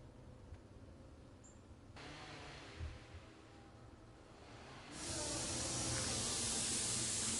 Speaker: the first is the air probe it's just a hollow tube and it serves as an extension to the nose piece it's used to isolate the source of a sound from several areas like a vacuum leak